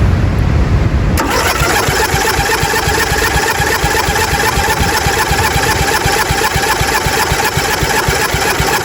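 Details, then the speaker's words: 1997 Murray 30575X31A lawnmower, engine un-seized and reassembled after spark confirmed, before throttle body cleaner: steady starter churning about four beats a second, no firing; cranks but won't start, spark not rechecked. "before we put throttle body cleaner in it to try and start it we're going to try spinning it again [Music] there's nothing"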